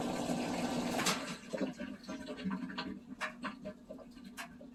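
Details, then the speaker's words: Whirlpool washer that wouldn't drain: a second of rushing water, then light irregular sloshing and knocks as the tub empties; the drain pump is working normally. "It should start spinning. Hear it draining. There goes the water."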